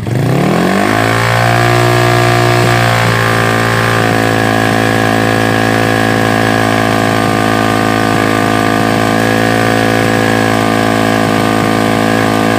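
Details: Honda Revo motorcycle after a new cylinder block, fitted because it smoked heavily: it starts on the first try and settles into an even, steady idle with no rattles or misses. Normal idle after the repair.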